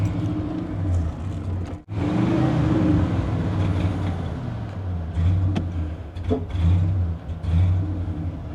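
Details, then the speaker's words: 1990 Ford F-150 XLT after tune-up work: revs roughly, sags and nearly cuts out before catching and surging; hesitation, running worse than before, seems starved for air or fuel, cause unclear. "It's like it's starving for air now, or fuel, which doesn't make a whole lot of sense."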